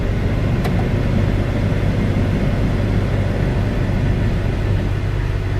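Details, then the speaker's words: Wrecked 2014 Ram 2500 with about 61,000 miles, idling. A deep steady idle rumble, then one sharp click as the AC compressor clutch engages; air conditioning working normally. "I heard the compressor kick on. The AC works. That's good."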